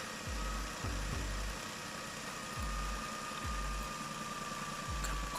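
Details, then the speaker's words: 2014 Nissan Almera after replacing front drive belt and idler pulley bearing, belt tension set to 8 Nm: quiet steady idle with AC compressor on, soft low thumps, no belt squeal or bearing whine; normal. "ตัวนี้ก็คือเสียงค่อนข้างโอเคเลยครับเมื่อเปิดคอมแอร์แล้วสายพานไม่มีเสียงดังนะครับ"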